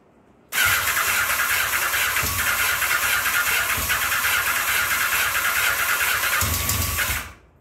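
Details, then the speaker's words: 1984 Honda Nighthawk parts bike, cranked on full choke after sitting a long time: the starter spins the engine in a steady fast whir for about six seconds with no firing, as fuel must be drawn from the float bowl. "It's going to take a little bit. Oh, thing's stuck. It's going to take a minute. It's got to suck the fuel out of the bowl, get it into the engine,"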